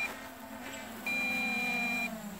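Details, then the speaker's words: MJX Bugs 3 brushless quadcopter flying in cold weather: about a second of steady high transmitter beep over the motor whine, LEDs flashing; low battery voltage alarm, normal warning. "we've got the LEDs flashing, the transmitters beeping. That is awesome."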